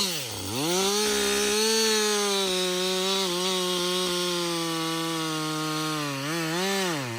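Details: Husqvarna 562XP two-stroke chainsaw, back from the dealer after being reflashed for dying when hot and failing to start, now hot after long continuous cutting: clean note dips as the chain bites, holds steady, revs freely; healthy running under load.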